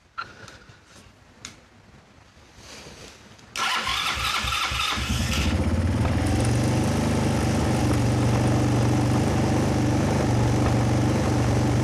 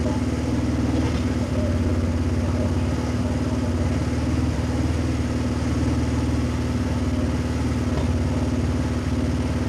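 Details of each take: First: Kazuma Falcon 150cc quad, about 10 years old, first start, fuel still leaking. It catches after cranking and holds a fast, steady drone. Idle is set very high on the screwdriver and the mixture needs adjusting. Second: Kazuma 150cc Chinese quad, after carburetor clean and new battery but before oil change, idles smoothly and regularly with no misses or rattles, heavy rain faintly audible; running clean, normal idle.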